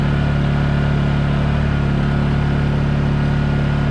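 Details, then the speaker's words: Honda EU2000i inverter generator after spark plug replacement, Eco throttle off, freezing day: steady even hum with no misses or surging; runs much better and starts first pull with the new plug. "let's see if it starts it runs much better with a new we ran much better it actually runs much better with the the sparkplug"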